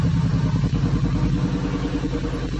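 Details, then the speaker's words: 2001 Cadillac DeVille with codes P0351 and P0303, just started, slight smoke: uneven, stumbling idle with dropped exhaust beats; misfire. "Go ahead and start our vehicle. Just so you can see how bad we're running."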